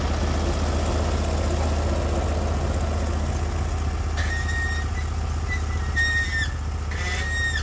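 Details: Norwood HD36v2 bandsaw mill, day two testing new roller guides (ceramics replaced), slabbing big black oak through bark, about 24 inches wide: deep steady engine drone holding pitch under load, no bogging or knocking; effortless flat cut, normal load.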